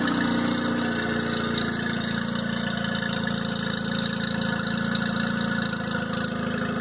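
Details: 2002 Mercury 15hp four-stroke outboard, first start of the year after storage and a lower-unit fluid change, on earmuffs in neutral while warming up: a smooth, steady idle with an even firing beat, no knocks or misses. Healthy, normal idle.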